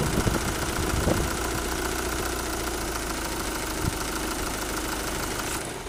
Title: Motorgeräusche, Klappergeräusche bei Lastwechsel, was ist das?